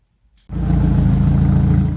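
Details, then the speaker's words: Big-turbo Audi TT started after long storage; engine catches and idles with a lumpy, uneven low beat. The misfire was traced to a coil connector not fully seated; once reconnected it idled nicely. "Settling as usual. Not the healthiest, but it's settling a little better. I ended up finding out that one of the connectors for one of my ignition coils wasn't hooked up all the way."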